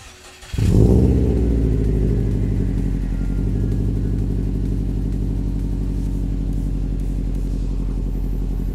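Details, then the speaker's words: 2011 Subaru WRX just fitted with catless 3-inch Invidia downpipe and COBB Accessport running Stage 2+ map, awaiting proper tune: quick crank, catches with brief rev flare, settles to steady, even, deep idle with no knocks; healthy start. "Alright, so now we got the downpipe and the access port all installed on this. It's going to need to go get a tune on it, but for right now it's running on a Stage 2+ from the access port. Sounds good, smells really good being catless."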